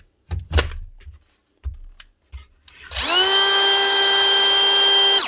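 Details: Dewalt cordless tool after its dirty switch was flushed with contact cleaner and blown dry with a compressor: after a few dull knocks it spins up smoothly to a steady high whine and holds it evenly; motor and switch running normally.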